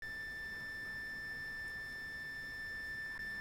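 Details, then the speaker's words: Alarm system keypad: steady unbroken high-pitched single tone that never stops, following an earlier battery trouble code; suspected low backup battery, not confirmed. "hi everyone if your alarm system is making this type of noise or a chirping noise that wouldn't stop the most common culprit is your battery needs to be replaced"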